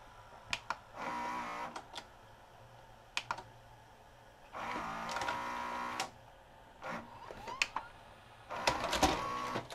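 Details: Sharp VC-H972 VHS VCR, bought new around 1996–97 and sat about 20 years, won't finish loading: repeated one-second loading motor whirs with clicks between; loading motor worm gear slipping on its shaft, tape not eaten.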